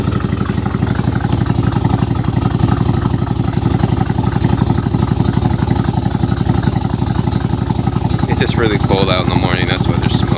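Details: Nissan Z31 V6 with a loud, choppy idle, a hard puffing tick about four per second and a cam-like lope. Timing belt was off by a tooth; leaks from a broken head stud, cracked exhaust manifold and broken manifold-to-crossover stud: exhaust leak.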